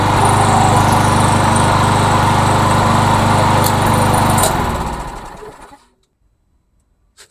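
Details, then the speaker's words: MTD Yard Machines trash-found mower with Briggs engine, after carburetor, gas tank and head gasket replacement: smooth, regular beat at steady speed, then shut off and coasting to silence; occasional coughing still, possibly a diaphragm spring; normal running. "I got to work out the the coughing but I mean it's running it's actually rning running really really well"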